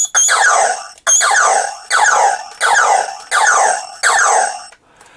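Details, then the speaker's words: Vintage New Adventures of He-Man Power Sword toy, speaker repaired: electronic sound loops, six rising bursts about a second apart, with no button pressed; fault suspected in two buttons keeping it triggering, not confirmed. "It's making a noise. It's still pulsing and coming on without me pressing buttons."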